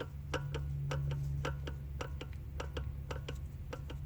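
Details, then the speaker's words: Audi A4 with vibration under acceleration, felt from about 30 mph: the half shaft is rocked up and down by hand, giving sharp uneven clicks about three per second. Worn CV joint play is blamed for the vibration. "okay so this will cause vibration in the whole system that little bit of movement here"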